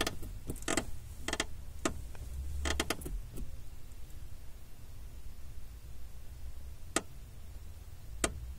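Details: 2005 Honda Civic clutch pedal moving: clusters of dry door-like creaking snaps felt at the pedal; lubing didn't help, fixed by loosening and retightening with less torque the overtightened lower master cylinder mounting bolt.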